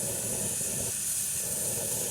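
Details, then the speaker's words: All American 941 41.5qt pressure canner canning raw beef and dry beans, 10 lb weight placed after 10-minute venting, heat turned down: steady sharp steam hiss at the weight, rattle wanted 3-4 times per minute; holding pressure normally. "Sounds like a rattlesnake. You want that to rattle 3 to 4 times per minute."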